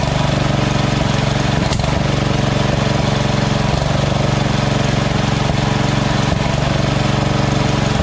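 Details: Small engine after fitting a Chinese-copy Nikki 590399 carburetor on a newer O-ring intake manifold with a curved backward fuel nozzle: an even, steady putter at the lowest idle setting that never rises or falls. The surging is fixed.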